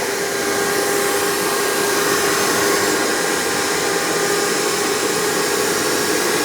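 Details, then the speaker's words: Hoover PowerMax II U5246-940 upright vacuum (2002), direct-air, 12 amp motor with 20-blade fan, after motor work, running on the hose with tools: even, steady motor whine with strong airflow rush, no pulsing or rattle. Normal running. "Don't expect miracle suction power from this, but because it's direct air, they're known to produce more airflow than suction. But it's actually very good for what it is, especially with that 12 amp motor and the 20 blade fan."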